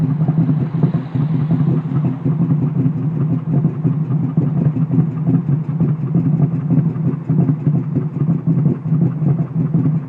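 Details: Ford Mustang at idle with a lumpy, choppy idle of uneven pulses and dropped beats that sounds like a big cam, pointing to a steady cylinder misfire.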